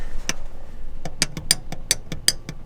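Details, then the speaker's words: Subaru Forester manual shifter linkage rocked by hand: about eight sharp, irregular clicks and clunks. The hardened, worn rubber shifter bushing gives linkage play, felt as slop in the shift knob. "you can see it moving and that's the play you got in your shift knob inside the car"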